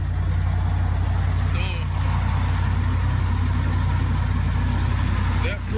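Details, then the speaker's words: 2011 Ram 1500, 5.7L Hemi V8, no-crank complaint; factory grounds bypassed with jumper cable to battery: engine cranks and fires, steady even low rumble with smooth beat, no misses or knocks, confirming ground fault; normal idle. "so let's crank it over and see what happens here there we go the beast lives"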